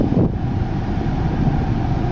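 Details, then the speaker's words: 2008 Volvo S80 2.4 D5 120kW diesel after fixing A/C pressure sensor circuit fault (P0531) wiring: steady, even idle with smooth low hum, no clicking, cycling or squeal; A/C blowing cold, running normally. "okay very good we have nice cold air temperature is low on another and the ac is on all running perfect very good"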